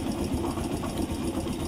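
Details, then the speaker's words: Kawasaki Barako single after top overhaul (new MTK cylinder block, valve seals; earlier ticking and hard starting blamed on tight valve and off timing): even steady idle, no sharp tick; valvetrain quiet, normal. "Buhayin kanina ito ni Ka Joel. Kaya palang hirap buhayin. So yan. Tahimik na ngayon"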